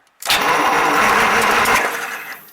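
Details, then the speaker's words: 1938 Buick Special straight-eight, rebuilt starter and solenoid refitted and hot-wired on its regular 6-volt battery: strong, even cranking with sparks and no clicking or dragging; cranks very well on 6 volts. "Fireworks are flying. So that is cranking very well with 6 volts."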